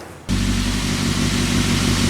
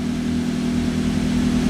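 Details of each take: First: Toyota Avanza EFI engine, complaint of unstable idle, sometimes high, sometimes low; scanner shows over 1000 rpm against a roughly 900 rpm standard. Steady fast idle hanging high with no dip: idle too high, sensor or actuator fault suspected. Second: Toyota Avanza EFI engine after repair, diagnosed by scanner for unstable idle; idle was over 1200 rpm before, now lowered. Steady, even, low hum with no misses or surging; check-engine lamp off, car back to normal.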